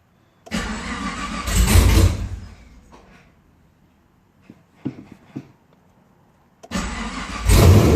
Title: 2010 camaro ss hard start after engine install